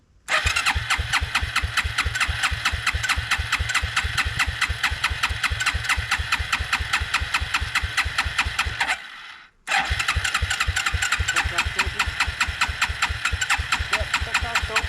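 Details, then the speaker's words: Suzuki King Quad 300 after gas tank repair, petcock dripping, choke on, petcock on prime: fast even starter cranking that never catches, apparently little fuel down there yet. "Let's put it on prime. Doesn't look like I have too much fuel down there yet."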